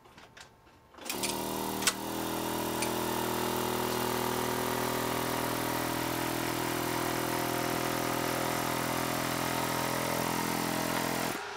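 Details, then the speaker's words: Thomas-type electric vacuum pump for power brakes on an electric car, vibration-isolated: switches on and hums at a steady pitch for about ten seconds, then stops; much quieter than before, with remaining noise mostly from a rattle. "that's working better that's a lot quieter than before let's do a person on the inside again and here's the pump with vibration isolation"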